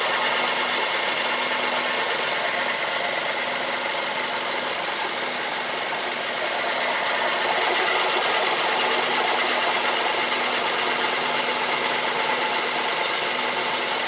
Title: Mazda 3 engine knock...